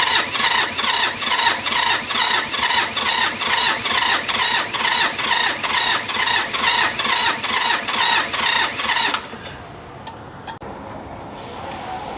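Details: Mitsubishi K3E engine in an MT18 tractor: even cranking pulses, about two per second for nine seconds, never catch. Hard starting from low compression from worn rings; fix is replacing all 3 pistons and rings.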